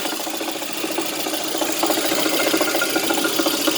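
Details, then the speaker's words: VAZ 2110 engine running with a strong, fairly regular knock, about three or four a second, clearly above the engine note; source not pinned down, owner suspects the water pump. "Ну вот десятка, стучит что-то сильно."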